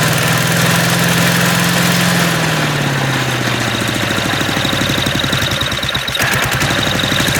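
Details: MTD walk-behind lawn vacuum blower, unused about three years, dislikes throttling with choke off: small engine loud and ragged, speed sagging and hunting unevenly after a few seconds; rough running after long storage.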